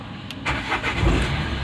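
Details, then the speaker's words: Renault Duster 110 with an intermittent no-start, before diagnosis, ignition switch suspected: brief crank, then it catches promptly and settles into a smooth idle; normal start this time. "आप देख सकते हो बढ़िया एक साल में start हो रहा है मेरा गाड़ी तो ये क्यों प्रॉब्लम है इसको थोड़ा फ्रेंड करेंगे"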